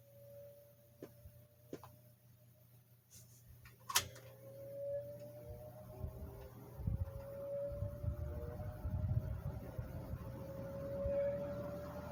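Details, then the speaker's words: One of two vintage box fans (3-speed Fasco 120 V 1.1 A or 2-speed GE 115 V 3.6 A) running, motor just cleaned and serviced: a steady mid-pitched hum over a soft low drone; the motor hums, cause unclear. "Motor does have a hum to it, and I just cleaned and serviced this motor too."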